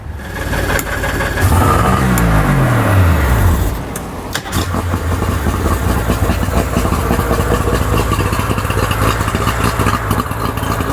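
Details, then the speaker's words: Tohatsu three-cylinder outboard, first start after carburetor repair, previously running on one cylinder: cranks, catches, revs briefly, settles to steady even idle; all three cylinders firing, normal running. "we go that's actually running help supposed to be running on all three sellers I can hear"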